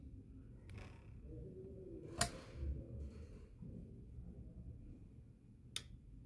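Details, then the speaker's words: A Markbass Little Mark Tube 800 bass amp had no sound and was going into protection. After a damaged capacitor and resistor were replaced, it powers up in a quiet room with a few sharp, isolated clicks as the output relay pulls in properly. "okay so assume that was the problem because now the relay has clicked"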